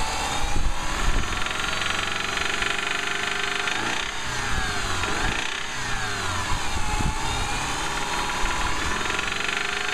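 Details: 2005 Subaru Outback 2.5L revving up and down with a deep heavy rod knock quickening with revs; no warning lights on, engine needs replacing.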